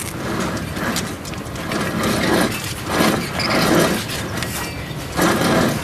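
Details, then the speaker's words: Front hub of a 2007 Chevrolet Silverado Classic 3500 Duramax, caliper off, spun by hand. Gritty, rough grinding swells with each spin, like dirt inside: a worn sealed wheel bearing needing hub replacement. "Can you hear the bearings where they're bad? Almost sounds like there's dirt in them."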